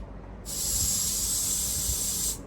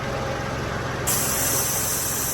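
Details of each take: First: Peugeot 107 A/C, R134a DIY regas kit, gauge off the scale: three sharp two-second hissing bursts as refrigerant is vented through the low-side valve; system overcharged, gas released to relieve it. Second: Peugeot 107 at idle after excess R134a refrigerant was vented from an overfilled A/C system: steady, even engine hum with a sharp gas hiss; the compressor no longer cycles in and out rapidly and the engine sounds normal.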